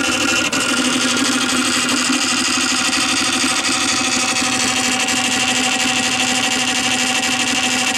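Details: Columbia Graphophone AH (circa 1902) after a motor service in which both dry springs, with powdered grease, were cleaned and re-lubricated, running with no record: busy whirring gear chatter with a steady high singing tone, even and unchanging. Normal running for its age.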